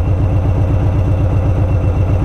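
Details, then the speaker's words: Warm Harley-Davidson Street Bob, Stage 1 tuned, idling in neutral in a parking lot: lumpy V-twin idle floating around 1000 rpm with a slow rise and fall; a throttle blip levels it out, then it picks up again. Cause unknown. "now I'm going to blip the throttle you hear the Rev and it levels back out and then right there you just heard it pick up again"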